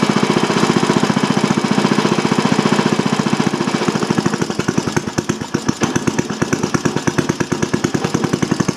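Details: Old single-cylinder Briggs & Stratton on bench with new Champion J8C plug, not yet warmed up: rapid even sharp exhaust pops at steady speed, no stumbling or misfires; normal running.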